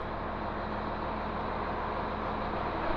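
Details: Tractor-driven baler running after a bearing whose bolts had backed out (flopping loose, wall bent in) was replaced; steady even low drone with no knocking or flopping bearing noise, running healthy.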